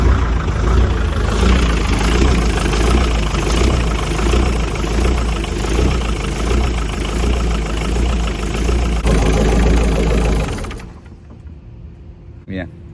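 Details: CAT generator with a Perkins diesel, started by bridging a wire: an even, low diesel beat holds a steady idle for about ten seconds, then cuts out and spins down; the engine itself runs fine.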